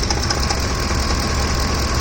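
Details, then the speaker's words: Ford F-150 3V Triton V engine, hot: rough idle with a quick, light ticking clatter from the top of the engine, now constant rather than intermittent; possibly a camshaft problem, cause unclear. "It's some form of a V engine, so I"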